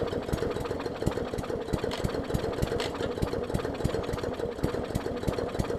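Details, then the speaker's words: 2014 Bolens push mower with Briggs OHV engine, leaky needle and seat, very flooded; small engine chuffs unevenly about three beats a second, coughing as it purges excess fuel; running rich. "yeah i think it's literally just so much fuel it got in there that it's just trying to purge it out which i kind of needed to do that anyways"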